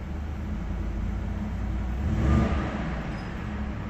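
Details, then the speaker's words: 2018 Ford F-150 5.0L V8 (titled 2019), bi-fuel CNG/gasoline, in for a cylinder 6 misfire. Running on gasoline with CNG disconnected during injector diagnosis: low, even idle rumble with no skips, no misfires, running smooth: normal idle. "okay you can see we don't have really any misfires running pretty smooth looks good"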